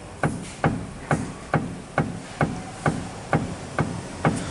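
Sharp single knocks about twice a second as the rack is pushed by hand, clean metallic clacks from a worn steering rack with play.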